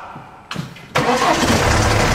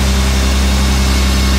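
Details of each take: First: BMW 1 Series convertible, about 300,000 on the clock, at start: short crank, catches, then dry metallic rattle over settling idle; timing chain suspected, not confirmed. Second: BMW 1 Series convertible, M package, six-cylinder with 328 intake camshaft, hood open: deep, even hum with steady low drone, no knocks or stumbles; smooth, healthy idle.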